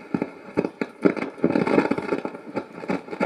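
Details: Amplifier being repaired, before cleaning the potentiometers; touching the bass knob produces irregular scratchy crackling bursts, a loose knob also noted: dirty potentiometer crackle.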